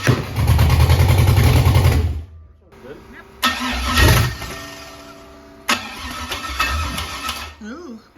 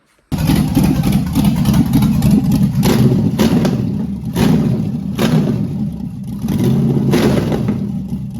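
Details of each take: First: LS engine with carburettor and MSD 6014 LS ignition box: rough, uneven running with sharp loud pops, stumbling and cutting out, backfiring through the carburettor and exhaust as if timing is way off; a tuning issue, owner points to the MAP setting. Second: Carbureted LS V8 with MSD 6014 ignition box, after switching to the custom 1 timing table to cure backfiring: it fires and settles into a lumpy idle at about 800 rpm with blips and no popping back through the carb. The carb is oversized and needs jetting.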